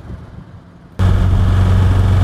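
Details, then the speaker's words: Car engine under acceleration while driving: loud low run with a coarse, prolonged steady rattle that sounds expensive; car also puffing blue smoke, cause unclear. "so you can hear that sort of prolonged rattle as i accelerate that sounds expensive"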